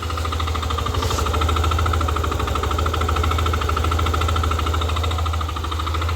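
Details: Yamaha Aerox v2 scooter running; fast, slightly uneven clatter over low engine drone; abnormal engine noise, source unconfirmed.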